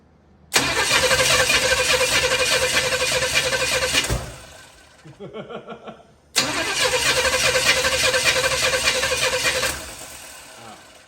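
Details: Used Chevy 350 V8 with added intake manifold, going into a 1972 Chevy 4x4 truck, start attempt after months sitting: two long bursts of steady cranking at about three turns a second, never firing; no fuel heard, ignition timing suspected off.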